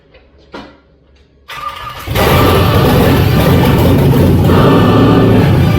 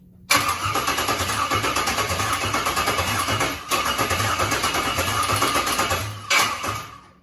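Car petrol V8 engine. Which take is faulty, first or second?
second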